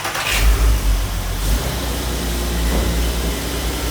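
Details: Audi TT 3.2 VR6, in the context of a timing chain replacement, starts, revs briefly, then settles into an even, steady idle with no rattle or chain slap; normal start and idle.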